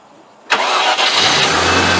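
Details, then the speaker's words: Range Rover EFI after fuel pump replacement, with pressure near the specified 40 psi and dipping at start: a short crank, then it fires cleanly and settles straight into a steady, even idle; starts and runs normally. "it there you saw a bit of pressure drop there engine sounds good no problems at all one almost would say great success"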